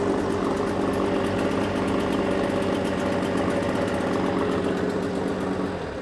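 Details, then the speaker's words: Suzuki DT6/DT8 two-stroke outboard fitted with a Chinese aftermarket carburetor, running in gear on an external tank: even buzz at about four beats per second, no hunting or stumbling, holds max and idle revs with no fuel overflow. "Обороты держит как максимальные, так и холостые, и ничего не переливает."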